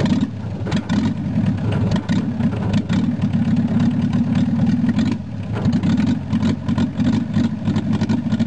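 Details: VW Rabbit long sat unused; it first raced wide open, then idled down after the cold start knob was pushed in and out. Now an even low idle with a steady hum and no runaway revving. Normal idle.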